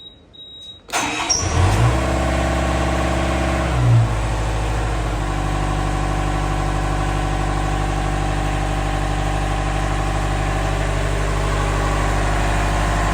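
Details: Widebeam narrowboat diesel after replacing a blown inline fuse between ignition switch relay and starter solenoid: starter cranks briefly, catches with a little throttle, settles into a steady, even diesel idle; starts and runs normally.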